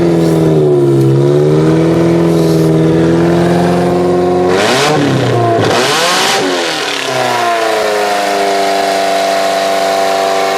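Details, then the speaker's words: 2001 Camry engine swapped into a 1994 Camry wagon derby car, first run of a used ex-derby motor: revs up and drops, rough clattery note, uneven idle; owner cites massive vacuum leaks, possible fuel leaks, suspects blown head gaskets. "okay so it runs but there's just a couple of things we've got some massive vacuum leaks I think we've still got some massive fuel leaks as well to be honest"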